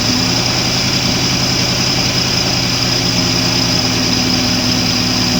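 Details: Mercruiser 4.3 marine engine with lack of power; compression 150, 148, 145, 145, 30 and 20 psi: deep uneven idle with a steady drone and water rush; misfire from low compression on cylinders five and six.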